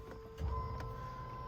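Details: LS-swapped 2nd-gen Firebird priming the fuel system via an under-dash button after a filter change: thin, steady high whine over a low hum, the electric pump labouring against a restricted pickup; pressure unchanged at roughly six.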